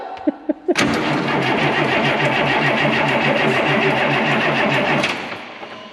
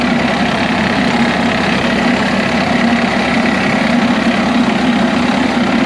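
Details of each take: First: DT466 diesel in M36A2 truck after starter replacement: steady fast cranking about four seconds with no firing, then stops; tank nearly empty with rusty fuel, likely lost prime, fuel starvation. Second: DT466 diesel in an M36A2 2.5-ton truck, started after bleeding air from the fuel lines. It holds a steady, even clatter at idle with no stumbling or misfire. Normal idle.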